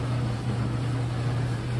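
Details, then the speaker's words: Samsung dryer after replacing rollers, idler pulley and belt for noise complaint: low steady hum with even rumble, no squeal, thump or scrape; drum turns smoothly and much quieter than before. "so the dryers are repaired I want you to hear how it sounds it sounds a lot better than before [Music] I always say it purrs like a kitten"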